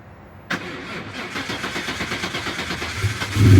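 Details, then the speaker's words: New Edge Mustang, originally V6 with manual transmission, swapped to a Coyote Aluminator crate V8 with Cobra Jet intake, starting before dyno tuning: starter catches into a loud, lumpy V8 idle with deep exhaust, then a quick rev blip; runs clean and healthy. "so you'll probably notice from the sound of that exhaust this is not a v6 Mustang anymore"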